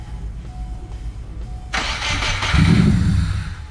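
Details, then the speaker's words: Subaru Impreza GC with JDM EJ205 swap, first start after oil priming: starter cranks steadily, engine catches briefly and sputters without running on; just needs fuel. "do it again very good just needs fuel so close"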